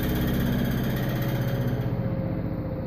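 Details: Brand-new LG 3250 washer just plugged in: quick, fairly regular tapping about four clicks a second over the motor hum; tapping/clicking noise of unknown source.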